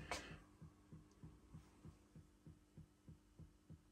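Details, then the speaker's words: Audio Innovations 800 Mk1 25 W class A tube power amp after modification, heard through rear speaker: even low thumps about three a second over quiet hum; motorboating, cause not yet found. "okay there's something not as it's supposed to be it's all tubes I know that if you can hear this it's some bloop going on and two to 250."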